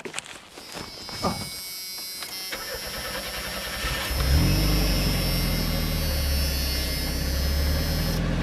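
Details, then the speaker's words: Junkyard Chevy S10 first crank, a bracket cut off; cranks a few seconds, catches, then shoots to high revs and stays there as the throttle hung open; throttle stuck open. "well that wasn't cool that part sound good yeah the throttle hung open oh did it yeah I didn't know that"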